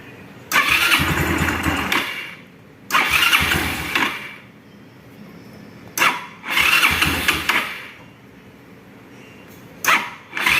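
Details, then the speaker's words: Yamaha Xeon scooter after replacing failed pulley bearing: fires and revs in short bursts with a clean engine note and no rough grinding from the belt drive, no longer noisy; normal running. "Mari kita coba memulainya. Sekarang sudah tidak berisik lagi ,"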